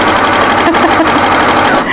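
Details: Overlocker stitching featherweight cotton voile at an angle, blade not in use so the operator trims; fast, even mechanical chatter stitching steadily with no knocks or catches; runs smoothly.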